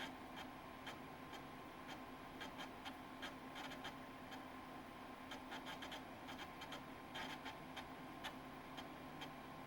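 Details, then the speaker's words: Macintosh IIcx (recapped logic board) floppy drive reading a disk on power-up after the startup chime: quiet, irregular, rough clicks and chatter as the head seeks; stepper motor sounds shot, though the machine still boots from the disk. "no that did not sound good it's reading that stepper motor shot"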